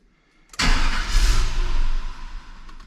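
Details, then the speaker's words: Red NBS Stepside truck, first start after HP Tuners tune and wideband install: engine cranks, catches and roars about a second, then dies; owner suspects VATS anti-theft security cutting power, plans to rescan the tune file. "interesting it runs for a second then it cuts power that generally like it's a security thing"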